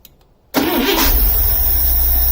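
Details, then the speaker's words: 1978 Scout II 345 V8 with a Holley 2210 carburetor, cold start with no throttle: a quick crank catches immediately and settles into a steady, even idle with no stumble. It is a normal cold start. "This is cold, by the way. There's a perfect running carburetor."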